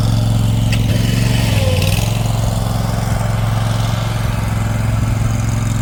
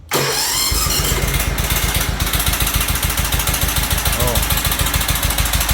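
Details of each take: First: Toro Titan HD mower, with a new fuel filter and fuel line: steady, even low thrum at constant speed, no misses or knocks; running normally. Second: Toro Titan HD with Toro twin-cylinder engine, cranked at half throttle with choke: catches, then a lumpy chug about three to four beats a second on one cylinder and dies within seconds; likely loose valve clearance let a valve drop, bending it and breaking the cylinder head.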